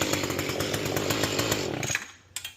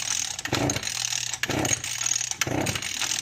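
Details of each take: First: Mantis tiller two-stroke after carburetor cleaning, idle screw backed off: engine speed drops and tines stop moving, giving a light, quick, even putter with steady firing and no hunting; idle properly set. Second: Mantis tiller/cultivator, unused for a couple of years, on workbench: about six recoil pulls, roughly one a second, with no firing; carburetor fuel problem suspected.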